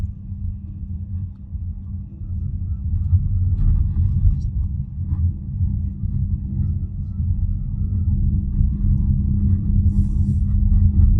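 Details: BYD Atto 3 driving at 20–32 km/h: a steady low humming over the pedestrian warning sound and road rumble. This is abnormal and the source is unknown.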